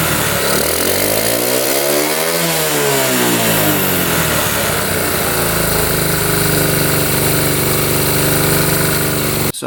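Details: 1972 Honda CT70 single, bought at auction with a bogging problem, swings up in revs then settles to a steady even idle with no misses; timing F mark lines up with the notch at high idle: normal idle.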